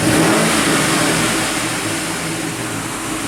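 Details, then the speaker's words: 2007 GMC Yukon V8, just after engine replacement, free revving with likely aftermarket exhaust: crisp loud rev falling back evenly, no rattles, ticks, shaking or misses; a little normal smoke from manifolds; running good. "Awesome. No rattles, no ticks, no shaking."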